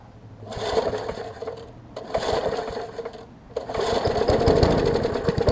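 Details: Murray 20-inch 3.75 hp push mower, long dormant with stuck-open intake valve freed, new carb diaphragm, primed, tank cleaned: three recoil pulls, quick rattling crank each, never catches; cranks but won't start, owner suspects wet or fouled spark plug.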